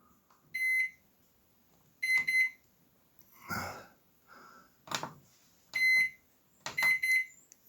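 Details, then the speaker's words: Microwave oven after a hard door slam broke the latch points: sharp single beeps at each keypress, then no magnetron or fan hum; it won't start, and the owner thinks the top door switch doesn't make contact. "Okay guys, it will not run. Let me open the door. I want to see if the switches my contact. I think that the top one doesn't make contact."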